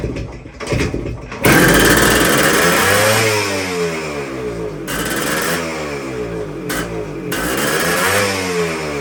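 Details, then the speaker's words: 1973 Kawasaki F7 175 two-stroke, barn-stored since the mid-80s, first runs with idle adjuster turned down: revs surge up and down without throttle, idle running away; owner suspects a massive air leak, throttle closing fully. "If we got a massive air leak somewhere, that's some gas leaking out now."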